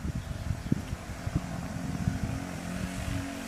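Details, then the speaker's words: 1981 Honda XL125S, 7,000 miles, idling after an oil change: single cylinder with a busy light top-end clatter; cam chain rattle, chain slack and needing adjustment, adjuster possibly frozen. "he's rattling on the top end cam chain wants adjusting"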